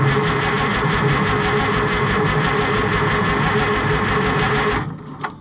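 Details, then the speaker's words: White 2-70 gas tractor that hasn't run for years, with the owner doubting the fuel poured in is really gasoline. A steady rhythmic starter churn of about two beats a second with no firing at all, then it stops; cranks but won't start. "we ain't got no fireage whatsoever"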